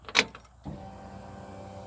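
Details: Ford Falcon, unreliable car, after a new stainless exhaust with J pipe and muffler: a sharp click at key-on, then a steady, even low electric hum as the fuel pump primes, cycled a couple of times before starting.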